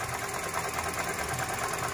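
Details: Toyota Grand New Avanza with 1NR-VE engine at steady idle: a rough, gritty whirr with fast fine ticking, traced by stethoscope to the alternator, possibly its shaft.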